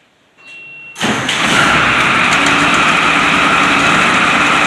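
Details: White 4-175 tractor, first start after rear main frame repairs: quiet, a brief clunk, then the diesel catches in about a second and settles to a steady, even run. A healthy start.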